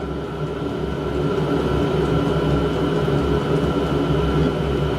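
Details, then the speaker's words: Diesel heater on a home test bed, switched off at the control panel: the fan hum and burner rush slow down through its shutdown purge cycle, which the owner believes clears soot. No knocks or rattles; a normal shutdown. "Oh, there you can hear the noise slowing down. Yeah. So it has to shut down in its own way and clean the soot out or something."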